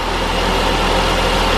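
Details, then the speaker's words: Saab 9-5 after replacing the torque rod and fitting a junkyard OEM direct ignition cassette (DIC): starts and idles smoothly with a steady low throb, no stumbles or misfire pulses, not yet warmed up. "all right let's start it up well runs fine it's a bonus"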